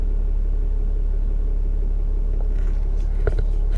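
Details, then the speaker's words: Dodge Ram Cummins diesel idling after fuel filter replacement and code reset: a deep, even low rumble with steady clatter and no misses; battery voltage and turbo boost fine, running smoothly. "Battery voltage, turbo boost, everything's running completely fine. Perfect. Nice and smooth."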